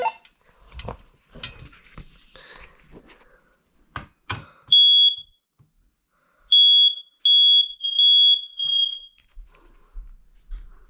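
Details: Smoke alarm during a January smoke and carbon monoxide alarm test: loud, piercing high-pitched alarm tone in short repeated bursts, sounding strongly on test, so the alarm is working properly.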